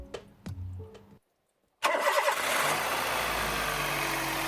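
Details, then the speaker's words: Toyota 1NZ-FE engine restarted wet after pressure washing: catches instantly into steady even idle, no misses; no check lights on, tachometer steady, engine runs as it should. "И снова у нас движок завелся без всяких проблем."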